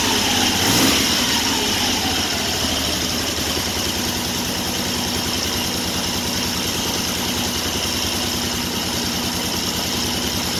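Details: 1974 Triumph Trident triple after installing Tri-Spark ignition, on external battery, during strobe timing check: steady, even idle around two hundred beats per minute, no misses or knocks; normal idle.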